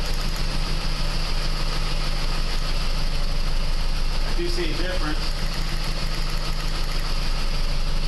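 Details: 2001 PT Cruiser 2.4 misfire at idle: uneven lumpy beat with occasional stumbles; power balance test (pulling plug wires) shows all four cylinders firing, some weaker than others, with number four strongest. Cause not yet confirmed.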